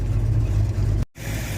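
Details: Ford Mustang after new alternator: even low idle around 900 rpm off the fast idle cam, charging about 14 V, smooth steady firing, no squeal or whine from charging side; healthy.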